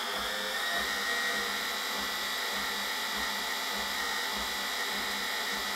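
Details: Brush-type washing machine motor after repairing its speed encoder: the heat-damaged magnet ring that kept falling off is now held by a new bearing, an aluminium piece and a non-magnetic stainless bolt. Smooth, even high-pitched whir at steady speed, no knocks or scraping; runs normally.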